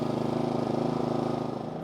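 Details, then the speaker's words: Genmax 4600iAEFIC fuel-injected inverter generator, after a minute's running, switched down to low idle so the RPM drops considerably, sound-checked. It gives a steady, even, low-speed hum with a soft pulse and no surging or knocks; it idles normally. "We'll also turn this down to low idle. And so now that drops the RPM considerably, so let's go sound check it."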